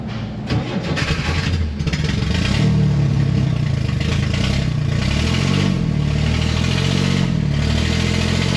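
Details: 1969 Corvair (paperwork says 69) flat-six, unrun for years, exhaust leaks: cranks, catches and settles into a lumpy, wavering run; rough running, carburettors need work after idle mixture screws reset a turn in.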